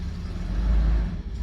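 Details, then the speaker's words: 2002 Toyota 4Runner with start-stall complaint and multiple cylinder misfires, just started from inside the cabin after fuel pump priming: low uneven idle that swells and sags, definitely running rough. "Oh yeah, it's definitely running rough."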